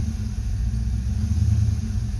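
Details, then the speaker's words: 1990 Ford Mustang GT 5.0 V8 with an oil-fouled plug found on cylinder one: deep, even idle rumble with no skips, the misfire gone and running smoothly. "let's fire it up I hope our miss is gone I would be really really happy hopefully it'll start last time very good that sounds better"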